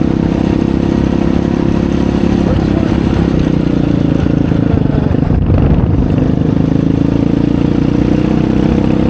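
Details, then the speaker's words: 2020 Chinese Apollo 250cc dirt bike, sat 2 years with gas left in carb, under load on a ride: revs climb a little then hang flat, won't rev out; owner suspects dirty carburetor, plans to pull and clean main jet. "So I think that it's not revving up because the carb is probably dirty. Like I said, this thing's set for 2 years and it had gas in the carb when I drained it."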